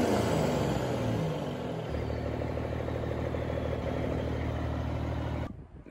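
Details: Freightliner FLD120 with Cummins M11 diesel after new fuel water separator fixed air in fuel lines: deep, even rumble picks up briefly on revs and settles to steady idle, no stumbling or hunting; healthy.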